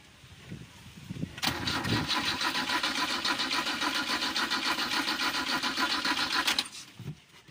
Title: Car problem/Hard starting